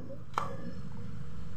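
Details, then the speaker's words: Single-door fridge that would not cool, after fitting overload and PTC: a click then even low compressor hum without rattle; current dropped from 2.7 A to 0.7 A, running smoothly. "Nah di sini teman-teman bisa teman-teman dengarkan yaitu getaran atau ataupun suara kompresornya ya ini bisa teman-teman dengarkan"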